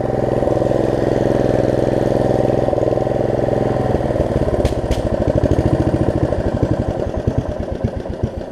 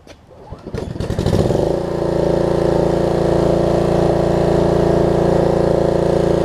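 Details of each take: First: Snapper RER rear-engine rider, single-cylinder engine, after deck belt replacement and throttle cable repair: slightly uneven beat with occasional hitches before shutting down; carburetor suspected of needing cleaning, fuel-delivery stumble not confirmed. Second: Snapper RER rear-engine rider after a deck belt replacement, throttle cable repair and carb cleaning, restarted warm about 30 minutes later without choke. It catches within a second and hums steadily with no misses or surging; normal running.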